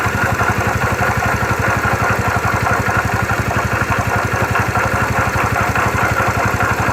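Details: 2009 Yamaha Factor YBR: steady idle with faint light ticking over the firing beat; strange engine noise, source not pinned down.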